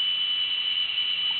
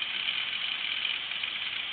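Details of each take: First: Old small-capacity IDE hard drive in an external enclosure spinning up and seeking: a constant shrill whistle with no rhythm underneath. The drive is squealing, and the owner suspects it is nearly dead. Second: Old 8GB IDE hard drive run in an external enclosure: thin steady high whine from the spinning platter with faint soft ticks as the head seeks; normal spin and seek with no clicking.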